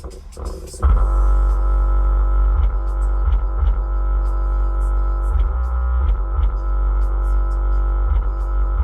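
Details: Cheapest pair of Harmony HA-RD12 12-inch subwoofers in a car, in a box with a tiny port: deep bass thumps carry a gritty, scratchy rasp instead of a clean tone. Both subs' voice coils are rubbing.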